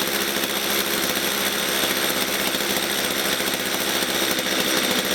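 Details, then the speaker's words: Stihl MS230 chainsaw that bogs at full revs and stalls when set down: ticking over low and uneven with a ragged buzzing beat; rough, too-slow idle, owner suspects carburettor fuel mixture setting. "it's sounding rough it's it's idling too slow over it's just not sounding right at all"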